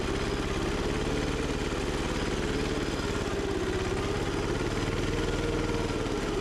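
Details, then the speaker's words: Gravely Model LI mower repowered with a single-cylinder diesel, running on stale fuel left since the rebuild: fast chatter whose pitch slowly swells and sags. Owner suspects surging from earlier tampering with the governor; not confirmed. "I uh I messed with the governor before it had a throttle so it uh it might be a little messed up that's why you hear it surging"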